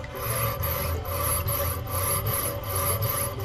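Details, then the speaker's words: Slab Master automatic diamond wire slab saw cutting rock under a low water flow at slow initial speed: steady rasping squeak pulsing back and forth about every 0.6 s over running water; normal cutting, squeak loudness indicates blade life. "You can hear the squeaking, and that is the blades cutting back and forth through the rock. That's your indication of blade life, is how loud it squeaks."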